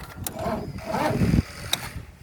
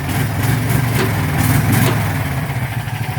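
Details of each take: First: John Deere 225 mower that died after testing blades; short sluggish crank fading without firing while jump starting. Owner suspects starter going bad or five-year-old battery, unconfirmed. Finding: slow crank. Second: Warm John Deere 225 riding mower, single-cylinder engine, just jump started, with a suspect battery: it settles into a steady low thumping idle at about four beats a second; running fine.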